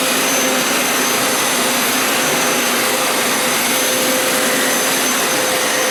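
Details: Hoover Elite Power Scrub carpet cleaner used as vacuum to suck up cleaning solution residue after deep clean wash cycle: steady high-pitched motor whine with even airflow rush, no surging or rattles; suction normal.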